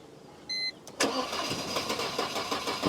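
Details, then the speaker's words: Vehicle with suspected immobilizer/alarm lock-out, just unlocked: chime, then two seconds of steady cranking with rhythmic compression pulses but no catch; crank no start, fuel pump only primes instead of running continuously, cause not yet found. "So, I need to find whatever issue is causing the fuel pump not to run continuously."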